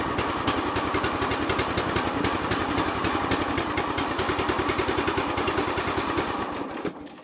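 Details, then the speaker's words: Hustler Sport 42 zero-turn mower single-cylinder engine, hot, on full choke: fast lumpy beat around three pops a second that stumbles and fades, with black smoke, no blue smoke. Rough rich running; choke suspected stuck on. "No blue smoke. It looks like it's looks like black smoke. And I think that's just from the choke. And it sounds like the choke was stuck on."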